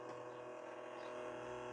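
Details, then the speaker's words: Salvaged stereo's cassette deck in play, rewind and fast forward: faint steady motor hum and whir, spools not turning, no tape movement; motor running but the main drive belt likely gone, needs belts. "no the spools aren't turning and I can hear the motor grinding away it's probably going to need belts"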